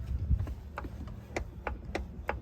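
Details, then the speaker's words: BMW E39 front passenger door swinging: a few sharp dry clicks about three per second; suspected worn door check, may need a door brake, pin possibly okay. "that i hate that noise so this one's probably done the same thing"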